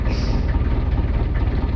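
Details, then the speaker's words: Inboard boat engine idling with temperature about 50 °C, oil pressure and voltage good, no cooling water flowing through the system: deep steady low rumble with even beat, no knocks or misses; normal idle. "right temperature is good keeping an eye on that PSI is good voltage is good"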